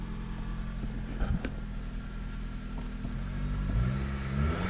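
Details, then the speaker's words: 2015 Jeep Patriot that kept shutting off by itself while running, after fixing the bad main ground and grounds: engine idles steady and smooth, picks up cleanly on a light rev with no stumble or cut-out; running normally. "Hey, I think I fixed it."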